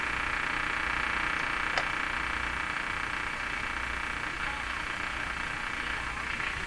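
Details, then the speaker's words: Philco 48-1826 console tube radio after replacing two capacitors, antenna on: constant hiss and buzzing hash swamping the band, stations faintly heard behind it; heavy interference, radio otherwise working. "the radio's working and uh if that interference wasn't there uh I think we'd be just as impressed as yesterday"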